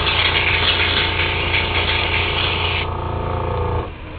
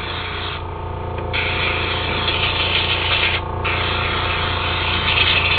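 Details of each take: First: Temptu airbrush makeup system spraying foundation: steady, smooth hiss of air and paint over the compressor's low hum, stopping cleanly when the trigger releases; spraying evenly and normally. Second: Temptu airbrush spraying makeup foundation; spray hiss keeps cutting out with a crackle between gaps, the gun sputtering because the paint cup has run empty.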